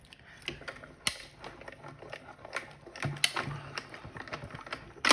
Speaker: you hear it popping and cracking that shows that it's cutting